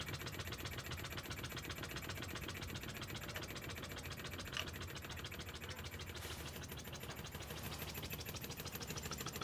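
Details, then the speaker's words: Wig Wag oscillating wobbler engine running slowly on compressed air: quick, even puffs at roughly 150 a minute over a steady compressor hiss; the little engine is running well and smoothly. "Right, so that was the little engine running well."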